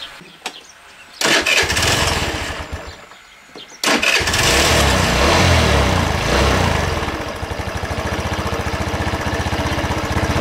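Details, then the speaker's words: Racer Salut MT50QT-19b1 scooter with 139QMB engine, low on oil and smoking: it fires up and idles unevenly, speed drifting up and down, and won't hold a low idle. "Да както плавают обороты как-то вообще странно работает мит как Чёрт Ну и низкий холостой он тоже держать не хочет"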